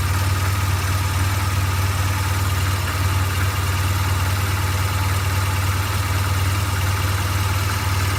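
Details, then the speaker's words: 2008 BMW R1200GS Adventure boxer, 26k miles, premium fuel, plugs and valves done at 16k: once warm, low uneven loping idle about two pulses a second, then dies and won't restart until cooled; owner suspects heat-related cause. "I might start it might start one more time but then it won't even start after that unless like until I let it cool down which maybe tells me it's heat related"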